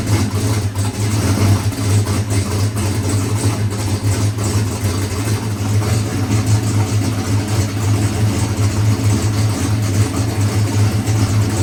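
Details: Boosted big-block Chevy race engine after timing-chain failure repair with new cam: deep, strong V8 rumble holding steady and even with no knocks or misses; healthy running after rebuild.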